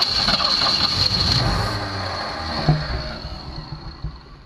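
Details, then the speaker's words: 1965 Ford Mustang won't run: engine cranks and catches briefly on remote starter, then dies as soon as the starter is released; coil has power with ignition on, cause unconfirmed. "but of course the second i let go of the trigger the car does not want to run"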